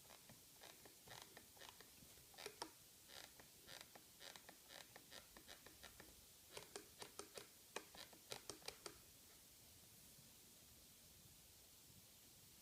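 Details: Microsoft Designer Bluetooth mouse, about one month of light use: short dry creaks and clicks about two a second when the palm rests on it and the left button is pressed, shell creaking; cause suspected, not confirmed.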